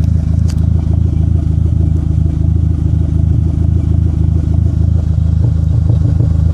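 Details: Dodge SRT-4 idling with a deep uneven stumbling beat and a chuffing miss, P0304 cylinder 4 misfire; plugs, wires, injectors and coil pack already replaced, intake manifold gasket suspected but unconfirmed.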